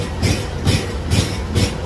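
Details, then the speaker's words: Scag Freedom Z mower's Kawasaki FH580V 19 hp engine at high idle pulses unevenly, about twice a second, and runs a bit better with choke; owner believes a carburetor jet is plugged and replaces the carburetor. "Even at high idle it doesn't. Now I can take that and give it a little bit of a choke. And if I choke it, it does allow it to do a little bit better. But that, I believe, tells me that there's a jet or something that's plugged on that."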